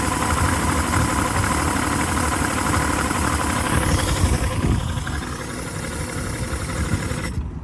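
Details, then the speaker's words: 2006 Yamaha 150 TXR two-stroke outboard after a hard run, idle about 800 rpm versus 1,000 before: it revs briefly on restart, runs uneven and lumpy, then sags and putters out. Fuel system parts are renewed and the cause is unknown. "See, it kind of revs up a little bit right when you start it after it's died, and then it just putters out again."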